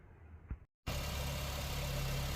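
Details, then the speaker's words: Honda Fit, customer complaint of engine noise and idle rpm hunting at stops, after valve adjustment and injector replacement: even, steady low idle with no stumbling, shake or misfire pulses; normal idle. "Olha o motor como tá, ó. Dormindo, ó. Ó. Olha pra isso. Não tem tremida nenhuma, ó. 0% de tremida, ó."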